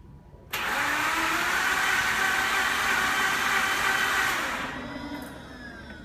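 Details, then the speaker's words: Mazda RX8 cranking with an unusual snoring sound; even, fast whirring crank at about four pulses a second that never catches: abnormal cranking noise, no start, cause unknown. "uh there's a different sound when it's the engine is starting if someone can help I'll be thankful"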